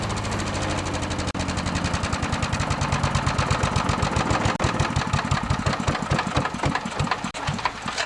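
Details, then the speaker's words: Wood chipper shredder with 10HP Briggs & Stratton single-cylinder after replacing a warped, leaking fuel pump: steady even chuffing with some stumbles near the end, runs good. "Next thing to do is to start it up to make sure she runs good."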